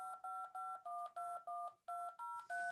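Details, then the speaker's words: Wavetable DTMF tone generator after wavetable range reduced from 64 to 63 to stop buzzing: short, even dial-tone beeps with steady pitch, no buzz or crackle; clean output. "So, we can add wavetable to wavetable. And now it sounds clean again."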